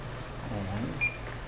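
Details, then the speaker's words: Portable near-infrared octane analyzer powering up on AA batteries: a short high chirp over a low hum as the normal self-test counts down from 15. "there we hear the chirp again and begins coming backwards from 15."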